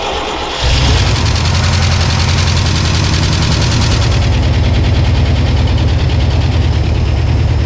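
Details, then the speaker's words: 1978 IH Scout II, first start and run since 1999 after a carburetor rebuild and a rigged fuel system. It fires within a second and settles into a steady, even, low idle with no misses or knocks; healthy. "Well, guys, as you can hear, it pretty much actually just fired right up, which is didn't even awesome, you know."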